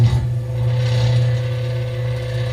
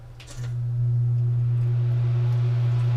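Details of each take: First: Samsung NE59J7630SG electric range, convection fan motor running with the cover removed before replacement: loud low steady hum with a rough grinding edge; the failing motor is so weak it can be stopped by hand. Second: Samsung NE59J7630SG electric range after the convection reverse fan motor was replaced: the fan spins up and settles into a smooth, steady low hum with no rubbing or rattle, much quieter than the old noisy motor.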